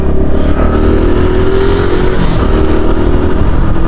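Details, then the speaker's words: 2022 Honda Pop 110i riding at mid revs: faint buzzing scrape over steady engine drone from the front end, wheel/rim area; owner suspects a cord rubbing, front wheel bent but no handlebar vibration. "Olha que eu tô achando que é essa cordinha que eu aprendi aqui velho E eu achando que era um defeito na moto que ela não tá vibrando o guidão nem nada sabe"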